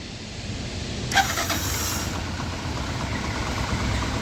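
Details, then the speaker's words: Bajaj Platina 100cc after self-starter motor repair and refitting. Quick crank that catches almost at once into a steady small-engine run, no starter grinding; normal electric start. "देखो दोस्तों। हमारी self-start motor एकदम सही काम कर रही है, और हमारी बाइक ने सेल्फ-स्टार्ट का इस्तेमाल करना शुरू कर दिया है। यानी, यह स्वतः शुरू हो गया है।"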